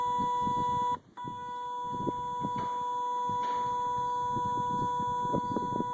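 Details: 2005 Kawasaki Brute Force 750 ATV: thin, steady high-pitched electronic chirp continues after key-off, apparently from brake actuator/belt area; owner cleaned and re-greased actuator gears without change, pulls 30 A fuse to avoid battery drain; suspects control actuator.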